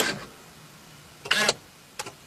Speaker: and you heard the actuator work and now it says ignition off locked and the wheel is now locked key on actuator Works key out you hear that activity and now we're back in business